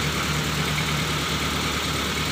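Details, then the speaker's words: Colt 120 SS pickup with high-rpm complaint, cold morning start: steady idle around 1000 rpm without hunting, normal cold fast idle expected to drop when warm. "Di pagi hari seperti ini, RPM biasanya naik sedikit. Setelah agak menghangat, biasanya akan turun."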